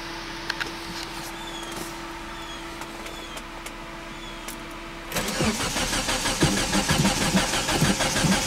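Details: Mitsubishi Eclipse GSX hard to start: after a quiet pause, a long steady pulsing crank keeps churning without catching cleanly; the car also has a rust spot in a strut tower.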